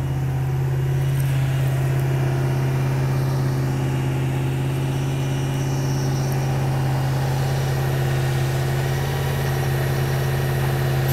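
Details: Normal idle: a Toyota Land Cruiser 100-series 2UZ-FE V8, earlier flooded during crank-no-start attempts caused by a spliced crankshaft position sensor wire, gives a deep, even burble with no knocks or ticks; idle lowered once warm.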